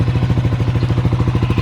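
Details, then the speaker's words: Sniper 155 VVA single-cylinder after replacing the timing chain tensioner: even idle putter of about ten beats per second, no rattle or clatter on top; the noise is gone, idles clean. "Wala na yung ingay niya. Kasi ito lang pala yung dilan tensioner."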